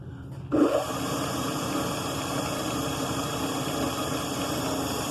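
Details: Delta Milwaukee DP220 drill press on the slow-speed pulley, motor just remounted, belt possibly loose: switch click, then a steady even hum and whir with no rattle or squeal; runs smoothly, bearings sound good.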